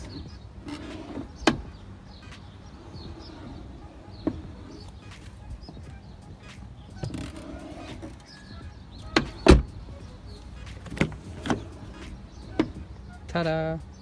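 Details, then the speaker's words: Lexus IS250 car door after WD-40 on the hinges: door swings and shuts with soft clunks and latch clicks, hinge quiet throughout, squeak removed. "take the wd-40 or you can take any other mechanic machine oil as i said earlier and it will completely remove the sound squeaky noise"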